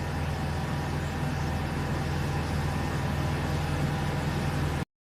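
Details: Mercedes W163 petrol engine after a misfire on two cylinders was fixed, idling with a steady, even low rumble and no skipping or stumbling beats; normal idle.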